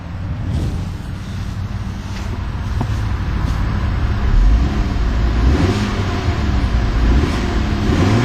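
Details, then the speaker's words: 2012 Fiat 500C Lounge with a 1.4-litre MultiAir inline four-cylinder (101 hp) starting and revving; steady low hum that pulls up smoothly with no knocks or rattles, a peppy, healthy engine. "Quite a peppy sounding little engine."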